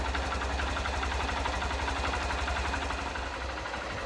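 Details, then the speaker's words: Honda CBF125 (59 plate) after stator replacement fixed no-charging (about 14.3–14.7 V) and lost lights: small single idling with quick, fairly even beat about four pulses a second, steady; normal idle. "that is perfect so we now know that when I start this bike up it's going to recharge up"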